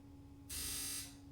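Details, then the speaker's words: Sea-Doo GTX DI 951 Millennium Edition, rebuilt engine that won't start: injector commanded via diagnostic tool gives a half-second high buzzing over steady hum; air/fuel injector activation working, no faults. "Uh oh yeah, it is activating. I'm going to try that and make sure. Yeah, I didn't hear it before, so I wasn't sure. So, all that stuff is working."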